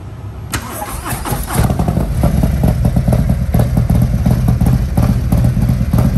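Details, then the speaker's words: Harley-Davidson after fuel filter replacement that fixed loss of power; engine catches cleanly into a strong, even, deep lope, quieter with no misses; normal engine start after repair. "all right so it's all buttoned up put back together now i want y'all to hear it this time quieter nice and clean"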